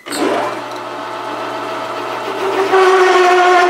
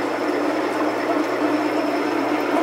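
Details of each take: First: Loud, steady screeching tone with stacked overtones from a metal lathe parting/cut-off tool chattering, mainly caused by chuck overhang; slowing to 180 rpm greatly reduced the chatter. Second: Metal lathe parting cut at 180 rpm: steady even cutting hiss with slight chatter and a little whine at the start; chatter comes from resonance tied to chuck overhang, tamed by adjusting feed and speed.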